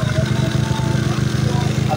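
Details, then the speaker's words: Honda Beat scooter with lost ignition, after rewiring key switch and fuse circuit to CDI: starts immediately, steady even low putter at quick idle, no misses or knocks; normal idle. "Oke motor langsung hidup ya di sini."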